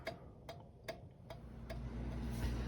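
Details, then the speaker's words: Reassembled 1911 New Haven Cunard Line kitchen clock on test after restoration: crisp evenly spaced ticks about every 0.4 seconds, around 150 a minute, no limp or double beat; a good-sounding, healthy clock that later ran over 24 hours. "Boy, it's a good sounding clock."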